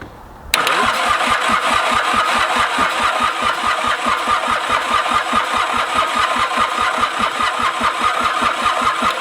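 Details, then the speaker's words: Mitsubishi K3D diesel in a Ransomes Bobcat mower, unstarted for years, fuel pump running, first attempt: steady starter cranking about two and a half beats per second, some puffs from the exhaust, no firing catch; crank no-start. "all right well it's certainly given us some some puffs up the exhaust pipe hit her with a little bit of starting fluid"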